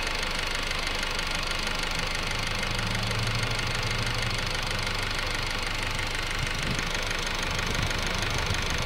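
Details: 2008 Honda Civic EX petrol engine at idle, noise heard from the rear of the engine: a dull, fairly even knock about three times a second over a hissy running sound, heard at different times; cause unidentified.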